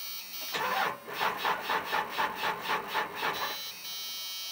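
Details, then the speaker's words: Old 5.9 Cummins diesel truck that sat about a year, cranked with a NOCO GB70 jump pack on very dead batteries: slow, labored cranking at about four compressions a second that never catches. The batteries are too weak. "yeah she's I don't think she's going to do it boys oh come on baby she's dead"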